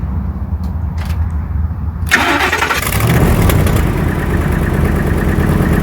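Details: 1954 International pickup after re-seating a sideways triggered switch in the wiring: brief cranking, then the engine catches and settles into a steady, even low rumble; clean start.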